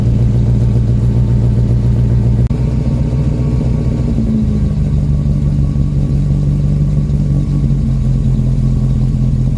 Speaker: so so so that's pretty much what it sounds like at idle it's still a little bit cold and i'm not sure how well the carb is tuned but um and it seems to have developed a squeak in the engine bay but um yeah no it's it's pretty tame at idle it's a bit lumpy though sounds pretty good